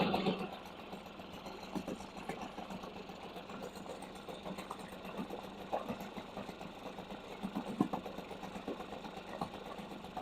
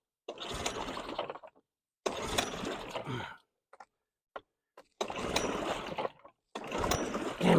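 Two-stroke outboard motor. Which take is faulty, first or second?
second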